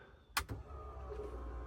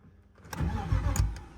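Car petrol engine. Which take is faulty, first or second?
second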